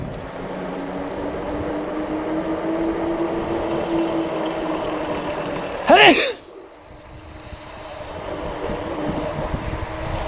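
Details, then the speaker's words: E-bike at about 407 km, new shop-fitted brake pads: road hum, then sharp rising squeal about half a second under hard rear braking; disc brake squeal, persisting despite rotor degreasing and sanding; later fixed by new AHL pads. "so i'm going to keep trying to do this with the brakes here just to gradual once you put on them hard it's going to make the noise"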